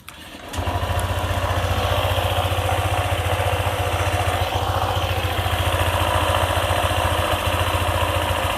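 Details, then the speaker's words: Honda ADV 150 scooter idling after CVT work for clicking/rattling from belt area: steady even putter with no clicking; fix may not last if lubricant wears, part replacement advised. Normal idle. "Oke, suaranya sekarang lebih baik daripada sebelumnya yang mengeluarkan suara berklik."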